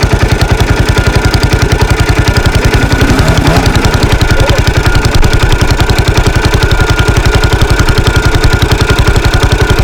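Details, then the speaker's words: 1983 Husqvarna 510TC four-stroke single, restored after fire damage, started after its engine rebuild: crisp, evenly spaced thumps, steady and regular with no clatter or misfire. A healthy, sweet-running engine. "so as you can hear there it's still quite a nice sweet sounding at 510 engine after its recent rebuild"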